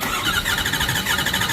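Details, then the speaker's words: 2008 Ford F-350 6.4 L Powerstroke diesel, cylinder 2 compression test through glow plug hole with sludged oil and oil pressure light: quick steady cranking with one light uneven beat, reading zero compression; dead cylinder. "0 compression. Just like I suspected."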